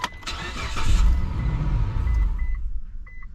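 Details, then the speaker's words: 2004 Mitsubishi Montero with its original 20-year-old key: engine cranks and catches for about two seconds, then cuts dead, followed by chimes; the immobilizer ECU rejects the key transponder's missing or wrong code. "see and it does that because the S there's no signal coming out of this guys so the imobilizer ECU says hey wait a minute that's not the right code or there is no code I'm shutting the engine off"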